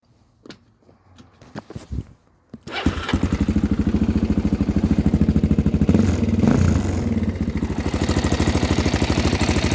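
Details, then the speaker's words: Suzuki DRZ 400 single-cylinder, about 30,000 km, after an engine rebuild following a failed valve guide that dropped metal into the combustion chamber: a few hesitant attempts, then a steady, even idle thump with only mild mechanical noise. Healthy. "as you can hear still some engine noise but for 30,000 kilm that's completely okay"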